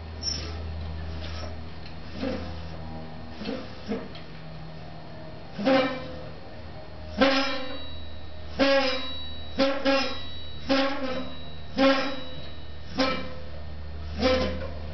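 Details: Catrike Trail trike left-side Avid BB5 mechanical disc brake under light braking, disc cleaned with alcohol without effect; squealing buzzing pulse about once a second, strong vibration through frame; right side rolls smoothly.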